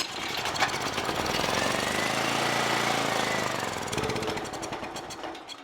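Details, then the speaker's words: Generac GP7500E generator that won't start, choke on, primed by squirt bottle: after the pull it catches, runs roughly a few seconds, then dies; fuel not flowing from the bowl, blocked carburetor, to be removed. "The carburetor fuel wasn't coming out of the bowl very well. There is definitely a blockage in the carburetor, not allowing it to stay running."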